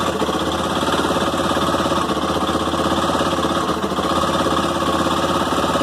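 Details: Honda CB 300 single-cylinder at morning cold start: steady idle with a fast, light ticking, described as clicks inside the engine and no big knock; cause unknown, and the noise gets louder at medium revs.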